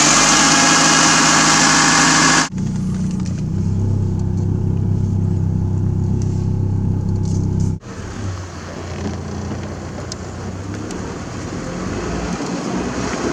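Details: Old $500 Toyota Corolla needing a fuel pump, started after new fuel pump, fuel filter and air filter were fitted: after a loud burst it settles into a steady, even idle, about 3.5 beats per second, no stumbling; running normally.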